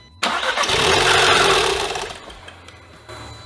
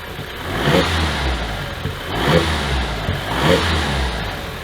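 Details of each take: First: 2015 Audi TTS from a rollover, first start attempt with timing, spark plugs and air filter checked: the engine catches and revs briefly, then dies within about two seconds, repeatedly. Suspected airbag-triggered shutoff. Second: 2015 Audi TTS, after locksmith programmed the key: several quick blips, note rising and falling cleanly with no knock or clatter; healthy engine revving freely and no longer shutting off.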